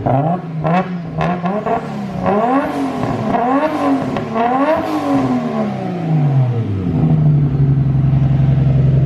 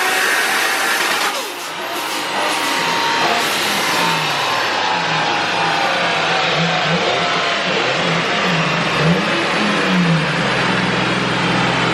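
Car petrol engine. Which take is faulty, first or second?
second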